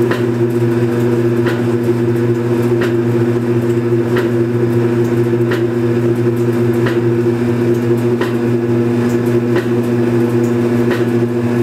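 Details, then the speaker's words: Belt-driven Kenmore Series 80 washing machine from about 1987, on spin cycle: even whirring with a sharp knock about every 1.5 seconds, in time with the drum. About a quart of water also leaks per cycle. Cause unknown; wig-wag was replaced months earlier. "the washing machine has a problem when it's on the spin cycle there's a knocking noise and it occurs every couple seconds"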